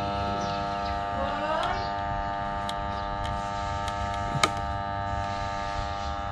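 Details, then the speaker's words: Rarely used 220 V electric water pump powered but not rotating, the impeller having no strength. It gives a steady hum with no spin-up sound. The cause was a failed 10 µF start capacitor, which was replaced. "ปั๊มน้ำมีปัญหาใช้งานไม่ได้ปั๊มไม่หมุนนะครับปั๊มมีแต่เสียงอื้ออย่างเดียวไม่หมุนนะครับ"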